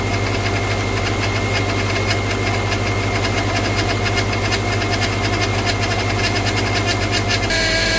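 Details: 2009 Subaru Outback idling, first start after steering rack replacement with fresh fluid and the system bled: steady high whine that doesn't change; the power steering pump is believed bad, staying loud even after bleeding.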